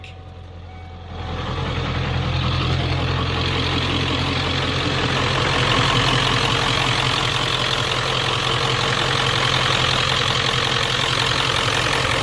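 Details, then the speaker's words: 1994-97 Ford 7.3L Powerstroke with mechanical pump, first start after a fuel bowl delete regulated return kit install with only the filter primed. It catches on the first crank within a second and settles into an even, healthy diesel idle. "god I love that mechanical pump"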